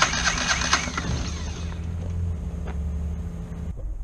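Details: Kohler 725cc V-twin mud-motor engine with a thrown rod in cylinder one, cranked on its one good cylinder: rough, uneven cranking that catches and dies, firing too early; flywheel key found broken, timing off.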